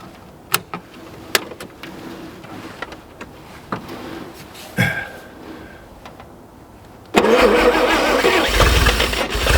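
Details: 1950 Chevrolet Fleetline Deluxe that sat for years, started on a winter day after jogging the carburetor float in case it was stuck; accelerator pump works. A few clicks and a short crank, then it catches and settles into a steady, even idle: normal start and idle.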